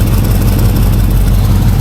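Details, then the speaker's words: Suburban at warm-up idle, recorded underneath: deep loud idle with rapid even puffing pulse in exhaust note; blown exhaust flange gasket leak, catalytic converters removed, Flowmaster muffler fitted. "I heard I heard an exhaust leak you can probably hear it from where you're at maybe not trust me there's an exhaust Lake let me show you right there this flange G basket is blown out right there"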